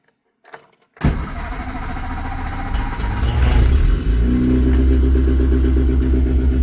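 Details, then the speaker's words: Classic Mini Clubman Estate with dead low battery, jump-started with an Auxito 8000A T4 jump pack: slow, labored cranking about four pulses a second for three seconds, then catches and settles into a steady, even idle. "There we go, it started. looks like that took quite a bit of a hit to start, but it did it."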